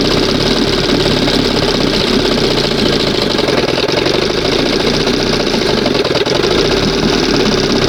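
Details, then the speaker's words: 1971 Johnson 20 hp two-stroke outboard, after flooding, throttle barely open before first mark: busy steady buzz at fairly even idle with slight rattle, runs well; owner says open it a hair; idle needs adjustment. "Sounds nice. Oh man, sounds nice. So, I just need to open it up a hair."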